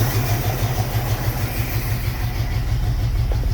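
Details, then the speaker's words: 1974 Pontiac Ventura, original engine, 83,000 miles, unstarted for 3 years, rebuilt Edelbrock carb, 3-year-old fuel. Cold on choke: uneven lumpy chug about three beats a second; rough cold idle while warming up. "It's really chugging. [Applause] Definitely got fuel in it now. I'll let it warm up here."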